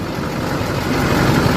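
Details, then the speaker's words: LBZ Duramax diesel truck idling just after installing an HSP turbo mouthpiece; listening for hissing, none heard. Steady, even idle with smooth low rumble, no hiss or misses: normal diesel idle. "Okay. Sounds good. Just listening for any hissing noises. I don't hear anything."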